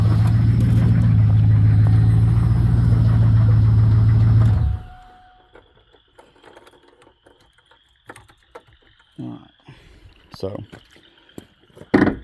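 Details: 1999 Camaro Z28 V8, sat four years, transmission and torque converter reportedly bad: rough idle with steady low tapping three or four times a second, then shutdown; source unconfirmed, rod or lifter suspected.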